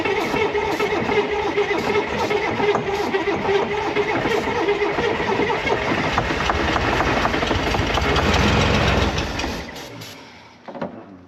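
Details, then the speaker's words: 1965 Corvair 110 hp engine after a starter replacement, pack-rat damage repairs and confirmed spark; the starter churns at about four turns a second and the engine coughs but never catches before winding down; the owner suspects the carburetors need cleaning. "So I feel like when I can't get the car to run on its own, it kind of wants to start, but it just won't run on its own."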